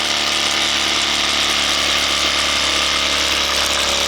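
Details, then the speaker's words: Competition single-acting twin-cylinder steam engine (4.9 cc, 14 x 16 mm) on Scott double-flow boiler, bench test with propeller at 2 bar: rapid chuffing under hiss turning wet and sputtery, spitting and slowing. "Là, elle ralentit à 2 barres. Bon, là, elle crachouille. Oh là là. Elle crachouille."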